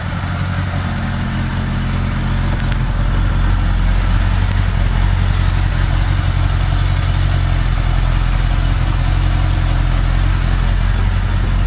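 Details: 1975 Honda GL1000 Gold Wing flat-four after water pump gaskets and O-rings replaced: low, steady, even idle, choke on, no ticks, rattles or misses; no leaks, much less smoke, sounds pretty good.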